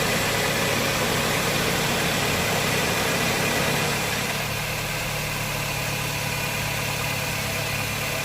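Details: 2009 Honda Jazz 1.5 GE after replacing a noisy, failing A/C compressor clutch assembly: a steady, even idle with a smooth hum and light hiss, and no grinding or rattle from the compressor; sounds healthy.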